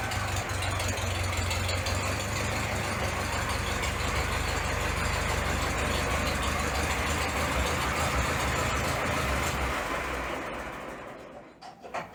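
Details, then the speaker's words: Minneapolis Moline ZAU tractor, warmed up and idling, with oil pressure dropping: a steady deep knock about three times per second over the exhaust rumble. It was barely present when cold; a loose crankshaft bearing is suspected. "We got an easy bearing on the crankshaft somewhere. You can hear it knocking. Wasn't really doing it when the engine is cold."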